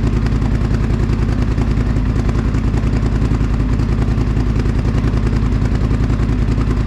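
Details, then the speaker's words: 2021 Polaris Sportsman 850 Highlifter ATV, first start after the straight-pipe exhaust install: deep, raspy exhaust with a steady, even, more pronounced chop of about three and a half beats a second. Normal healthy idle. "that sounds so much better that is that gives it so so much like the sound is so much deeper and uh raspy kinda at the same time"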